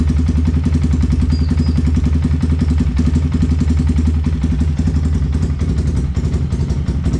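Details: Yamaha Vixion single-cylinder with a loud rough engine noise complaint, after reassembly with a new NGK spark plug: steady low idle thump with even firing, no knock or rattle on top; normal running.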